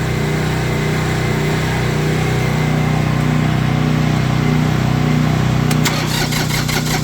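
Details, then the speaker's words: Diesel tractor with faulty glow plugs, started on a cold morning using a hair dryer to warm the intake air as a temporary fix: steady, even diesel clatter at a low, constant idle with no misses or hunting. It is now idling normally. "oh I love that trick it works y'all it works you hear it running it works"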